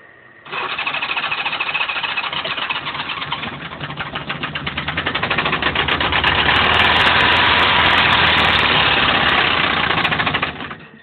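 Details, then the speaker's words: Honda GL1100 motorcycle engine on a full cold start with choke: loud, steady knock roughly three to four per second, cause unknown before teardown; bike parked since Memorial Day weekend because of it. "uh that right there is exactly why she's been parked since memoral Day weekend"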